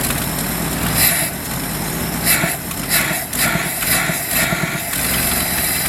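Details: 1977 Ford F350 dually tow truck, long-sitting estate-sale find, with exhaust and oil leaks burning off: fairly steady idle with an even mid-pitched note and a few brief louder swells; the owner suspects a bad accelerator pump or clogged jets for its acceleration stumble.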